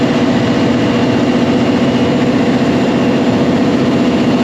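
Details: Cummins QST30 V12 900HP diesel at idle after thermostat replacement and coolant refill: steady, even rumble with constant low drone, no knocks or misses; sounds healthy.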